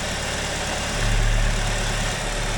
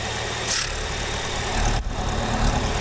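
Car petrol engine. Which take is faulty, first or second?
second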